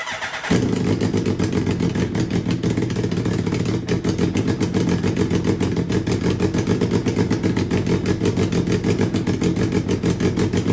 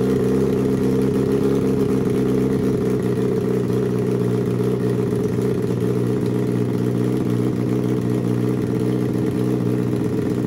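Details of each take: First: Turbocharged Suzuki Hayabusa motor with a Power Commander/AutoTune piggyback, first start after a head replacement: engine runs rough and super rich, with an uneven, lumpy beat and a stumbling pulse at idle. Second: Turbo Suzuki Hayabusa engine from homemade car, Power Commander/AutoTune, fuel leaned for smoother idle but left slightly rich at 2000 feet altitude; steady even idle with smooth low drone, no misses or stumbles, running cleanly.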